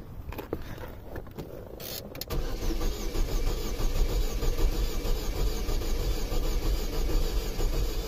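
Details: 2005 Saturn Ion 2.2L 5-speed towed in after Pep Boys clutch replacement, they claim timing chain jumped: starter turns engine over at a steady, even cranking beat for several seconds but it never fires; crank no start.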